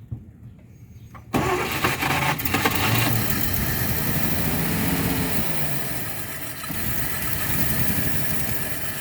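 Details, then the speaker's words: 1948 Chevy coupe, first run after 55 years off the road, fed fuel down the carburetor; the fuel pump is possibly not pumping. Engine cranks, catches and settles into a quiet, even, sewing-machine-smooth idle with no knocks or misses. Normal idle. "no engine noise though yeah it sounds really good the engine is like a sewing machine it's so quiet so quiet"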